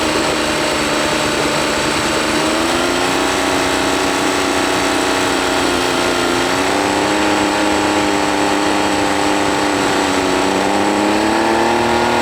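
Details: Honda BF40 40 hp four-stroke outboard on 14 ft boat, tops at 25 mph: idles fine but pitch climbs and wavers unevenly at high rpm; fuel starvation, later fixed by soaking carb jets and replacing o-rings.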